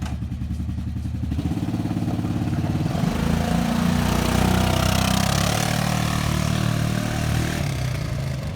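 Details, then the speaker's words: V-twin engine started after its timing chain was replaced without major disassembly and spark plugs were installed. A steady, even putter at idle picks up smoothly when revved, with no rattle or knock; runs quietly and cleanly. "Ilyuka, fire it up. Runs quietly, cleanly."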